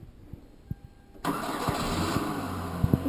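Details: 2007 Kia Optima/Hyundai Sonata 2.4L 4-cylinder, previously no-start, after reconnecting a loose cable at the starter motor connector and reconnecting the battery: quiet clicks, then the starter catches and the engine fires right away into a steady idle. Normal start, fixed.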